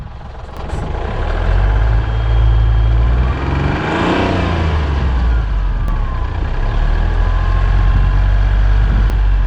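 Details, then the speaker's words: Hyundai Matrix diesel, over 203,000 km, revving in a car park: faint high whistle rising and falling with revs plus white and black exhaust smoke; faulty turbocharger, replaced. "Avete sentito questo sibilo? Questa è la turbina che fischia, vuol dire che è arrivata e va sostituita."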